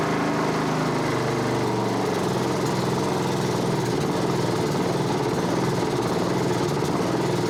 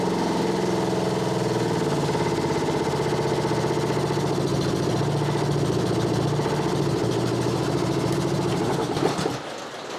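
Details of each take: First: Honda HRB216 push mower (GCV160), stored a few years, a puddle of oil or gas found underneath, new plug fitted, cold night start on choke: small single buzzing with an uneven ragged note, smokes a little oil, rough running with a dirty carburetor suspected. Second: Honda HRB216 (GCV160) push mower after carb cleaning, started with choke: steady even single-cylinder chug under rain on tin roof; runs well, dirty carb fixed.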